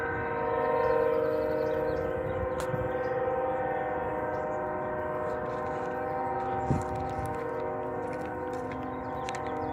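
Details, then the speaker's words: Distant locomotive horn, possibly Union Pacific, stuck on near a house and reportedly sounding for about 5 hours: a steady multi-tone chord that never cuts off like a normal signal. "It's a train horn that's stuck on. You hear in the distance."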